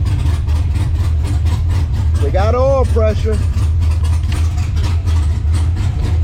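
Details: LS-swapped Monte Carlo V8 with big cam on ACES Jackpot EFI, restarted after first start: loud, deep, choppy idle with steady lope, no knocks or rattles; normal cammed idle.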